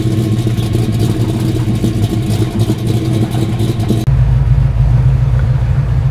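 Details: Pontiac GTO test drive after HEI distributor diagnosis for an autocross misfire, rear-mounted camera mic, aiming past 3,500 rpm: steady deep V8 drone under road noise, pulling evenly through the revs with no misses or knocks; ignition running clean.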